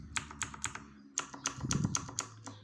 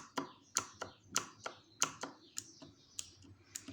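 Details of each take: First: Redragon Kumara mechanical keyboard with blue switches, before EVA/cotton mod: sharp, bright plastic clacks from each keystroke as the hard plastic keycap bottoms out and returns, louder than the switch itself. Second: Redragon Kumara mechanical keyboard with blue switches, dampened with cotton and EVA foam under the keycaps: irregular soft keystroke clicks with muted bottoming-out; keycap strike noise reduced, switch click remains.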